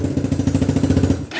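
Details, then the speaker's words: XR150 clone single-cylinder bike with a weak battery, electric start using the decompression lever: quick even firing at about thirteen beats a second lasts barely a second, then dies. Owner suspects a dirty carburetor. "Looks like the carburetor might need to be cleaned."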